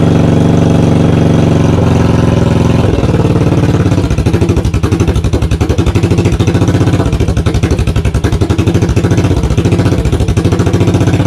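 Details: 1982 Yamaha XV920 V-twin, first start after cafe conversion, with oil coming out of the exhaust: deep, lumpy idle with loud, hammering exhaust pulses and backfiring. The exhaust is very loud and the owner says tuning is still needed.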